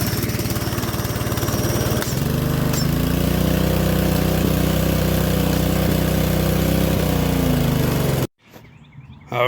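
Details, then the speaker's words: DeWalt DXP3123 pressure washer, Honda GSV170 engine, pawn-shop unit after repair/service, spraying water: steady even drone under pump load, no misses or surging, then cuts off cleanly; plenty of pressure, working well. "right so got plenty of pressure seems to be working good"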